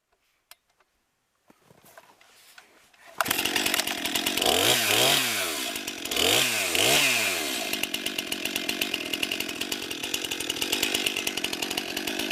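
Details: New 50cc two-stroke chainsaw, about ten pounds, at the woodpile on a cold day: starts, blips a few quick revs, then settles into a strong steady high buzz; lots of power for its size, runs healthy.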